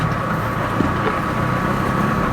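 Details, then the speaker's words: Induction mixer motor tested after replacing its noisy bearing: steady, even hum with no rumble or grinding. Now quiet and healthy. "Titestingin ko na lang po to. Ito na to mga isa mga bossing oh. Tahimik na po."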